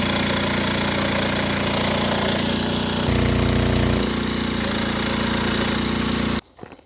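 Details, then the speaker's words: Old pedal-start moped; loud rough two-stroke running about six seconds then cutting out abruptly; old spark plug gave weak spark versus a new one; stalling from faulty spark plug. "So, I just took out the spark plug to check if the reason why it doesn't run"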